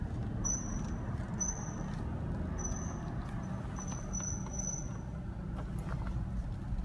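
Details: 2010 Cadillac SRX Premium while driving: short high chirps every second or so over road rumble, irregular with speed; comes and goes, seemingly unrelated to the brakes, sometimes when turning the wheel; source unknown.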